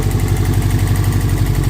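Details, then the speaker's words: 1998 Subaru Forester S after timing belt repair, first start: even low thrumming idle with steady pulse, no skips or stumbles; idling cleanly without misfire. "I mean, I don't think it's even misfiring."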